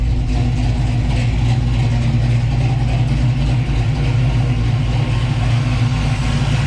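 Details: 1966 Chevy Belair, 461 big block V8, Holley Sniper with Hyper Spark, after fitting clocked high-output alternator for poor charging, battery had been dead: deep steady rumble, even low beat, no knocks or ticks; normal idle.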